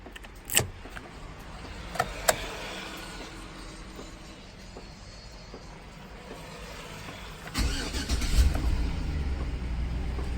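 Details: 2007 Chevrolet Tahoe Police Interceptor V8, automatic, about 209,178 miles, very cold rainy day: after a few quiet seconds it cranks briefly, catches and settles into a steady, even cold idle with no misses; normal cold start.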